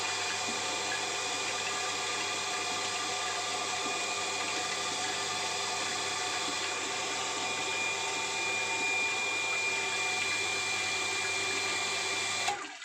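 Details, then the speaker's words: Thai automatic house water pump that ran nonstop with no use or leaks, after replacing spring check valve that let water flow back: steady motor hum, smooth whir, water rushing, no clicking or cycling; now working normally. "แต่ตอนนี้ก็จบงานเสร็จงานครับท่านผู้ชมใช้ได้ตามปกติครับเงียบคลิปเลยครับไม่มีเสียง"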